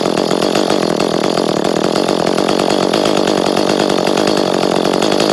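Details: Echo CS-310 chainsaw, which had been cutting out at high rpm, run again after a new spark plug: steady high-pitched two-stroke buzz holding an even speed with no misfire or stumble; running healthy.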